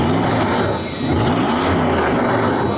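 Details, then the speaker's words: 1997 Dodge Ram 1500 club cab just restarted after sitting, low on gasoline: smooth steady low rumble, pitch drifting slightly as it settles, no knocks or misses. Sounds healthy. "Oh, she sounds good."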